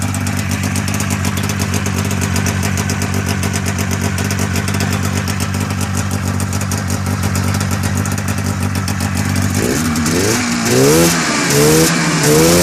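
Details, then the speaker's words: A liquid-cooled Polaris Indy snowmobile runs evenly at about four pulses a second after its slider was fixed with a nut, bolt and Loctite and the track was tightened. There is no clatter from the suspension bogies. All normal and quiet. "put some lock tight everything works everything's quiet everything sounds like it's working extra T suspension all the Bogies are working tight"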